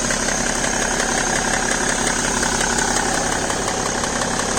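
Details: BMW E60 525d diesel idling cold, fresh 5W-30 oil: crisp, rapid, regular clicking over the clatter that goes away once the engine reaches about 80°C; cause unknown.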